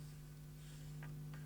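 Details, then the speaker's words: Trust SoundForce 2.1 Pro UK 15933 speaker system: steady low hum through the amplifier at quiet level, deep part unchanged by master volume and slightly altered by bass control; mains hum, cause not yet found. "So, the volume is not changing significantly on the the deeper part of the hum, which is the objectionable thing."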